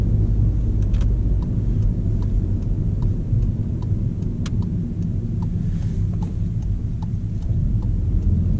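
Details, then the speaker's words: VW Golf GTE plug-in hybrid accelerating, pedal not floored: a deep, smooth, even rumble with no knocks or rattles over road noise, a healthy drivetrain under acceleration. "Nu am apăsat pedala până la podea, dar este o senzație nemaipomenită."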